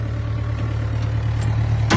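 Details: Yanmar B6Z mini excavator (0.25 class), privately used: low, steady diesel idle with an even beat and no knocks, misses or rattles; it sounds healthy.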